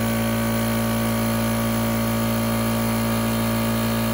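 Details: Small portable air compressor (about 2–3.5 CFM class, runs one gun) switched on and kicking on: steady-pitch drone with even hum, no rattle or screech; motor and pump healthy, though its gauge was not reading correctly.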